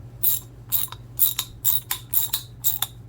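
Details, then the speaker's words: Older US-made Master Mechanic T1260 3/8 in round-head ratchet, cleaned and lubed, tightening: crisp clicking bursts about twice a second with uneven spacing as it skips now and then; worn pawls and teeth, not worth repairing. "so definitely a bit worn nothing you can do and that's kind of the issue with roundhead ratchets you can hear it skip every once in a while and it's just way too much of a hassle to attempt to repair that"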